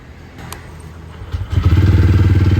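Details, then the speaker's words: TVS Ronin single-cylinder, first start after full engine teardown and rebuild for an internal engine noise complaint: fires up and settles into an even, deep thumping idle, same exhaust note as before, no unwanted engine noise; healthy. "എക്സോസ്റ്റോണിലൊന്നും change എനിക്ക് feel ചെയ്യുന്നില്ല. ആ പഴയ ആ ഒരു കമ്പിനെസ് തന്നെ ഉണ്ട്."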